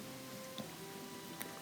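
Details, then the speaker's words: Whirlpool gas oven set to bake at 350: spark module clicks steadily, about three sharp dry clicks in two seconds, but the bake burner won't light; broil burner lights fine; suspected broken igniter or faulty spark module. "you'll hear the spark module go click click click click and you should see a spark too down there if you don't see a spark"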